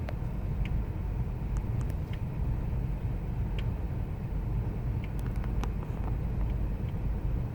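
Low steady V8 rumble at idle with an uneven, lumpy beat underneath, idle running rough with no clear single knock.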